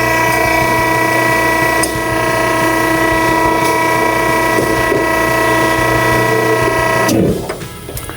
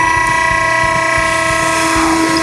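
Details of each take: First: Vehicle-barrier hydraulic system running with a hissing pressure relief valve; as the pressure bolt is tightened the pump whine builds pressure, hissing stops and the pressure switch cuts the system off cleanly, relief valve later verified at 2100 psi. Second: Delta Scientific vehicle-barrier hydraulic system running: a steady pump whine with hissing from the pressure relief valve, which is set too low and bypassing. Fix: loosen the jam nut and tighten the pressure bolt to about 150 psi above the pressure-switch cutout.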